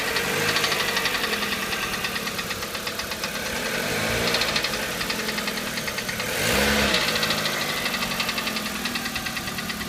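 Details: G4EE engine at steady idle with a sharp rapping knock at roughly three per second, clearest in the upper tones; engine knock, cause unknown.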